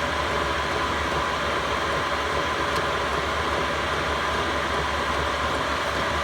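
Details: Chinese all-in-one diesel heater in a van, heating toward 16°C target, power bars climbing: steady even fan roar with faint constant tone, no stutter; normal full-burn operation.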